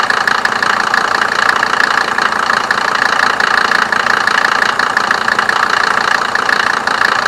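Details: 1987 Mercedes 190D, OM602 2.5L five-cylinder turbo diesel, running Diesel Purge cleaner from separate tank: steady idle with even, rapid clatter over a raspy hum; typical injection knock, nothing clearly faulty.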